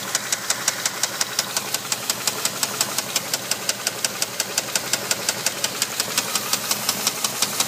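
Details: Dodge Durango 4.7 V8 running with a sharp, even knock about five times a second, a rod knock on cylinder 2.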